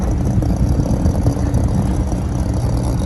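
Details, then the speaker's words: Meat freezer compressor that wasn't running until shaken, condenser coil dirty: heavy, loud low rumble with irregular loose chatter; compressor internals rattling inside the shell. "the internals of the compressor rattling around the compressor wasn't running and i shook it and it started"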